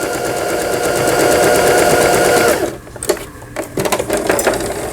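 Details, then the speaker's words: Brother PS53 sewing machine, about 20 years old, after a full repair including a twisted lower shaft gear; quick even stitching rhythm with a smooth whirr, no knocks or binding, stopping cleanly; machine healthy. "경북 포항으로 오늘 발송이 되는 브라더 미싱의 PS53이라는 기계 전체 수리를 마치고 박음질하는 영상이었습니다."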